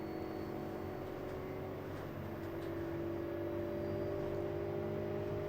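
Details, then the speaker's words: LG front-load washer on a preventive maintenance check, high-speed spin test climbing past 100 RPM: steady hum rising smoothly with no knocking, scraping or bouncing; normal, smooth spin. "Now we're doing a higher speed spin, so you can see the RPMs are going up on our screen here. Man, this thing is real smooth."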